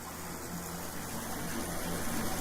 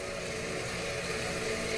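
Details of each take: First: Septic system pump after a tripped breaker and alarm, with the breaker reset and the alarm silent: steady gushing water over a low, even pump hum, no stalling. Normal pump operation. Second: Septic system pump after a tripped breaker was reset: steady motor hum with faint tones near 500 Hz, pump running continuously while the alarm light stays on; fault beyond a wire, cause not evident by ear.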